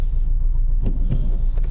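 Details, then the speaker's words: 2009 Nissan Altima just started, running rough and smoking: low lumpy idle with uneven puffs and stumbles every half second, like a tractor; one dead cylinder from an unplugged ignition coil. "so we just started this one up running pretty rough"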